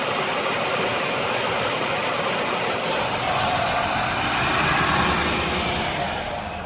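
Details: 1990 Oldsmobile Cutlass Supreme at idle: a steady, high airy hiss over a smooth idle, easing partway through. Owner suspects a vacuum leak, not confirmed.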